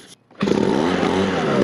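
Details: 2012 Ryobi RBV26G 26cc two-stroke leaf blower, revived roadside find, cleaned, cover off for unblocked inlet: after a brief gap snaps up to a steady high-rev buzz with smooth fan rush; holds revs cleanly.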